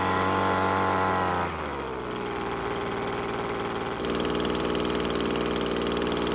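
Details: Weed Eater two-stroke leaf blower after carburettor refit with gasket, cleaned primer bulb and new air filter: steady high idle, drops to an even lower idle, then picks back up cleanly. Normal running and idle.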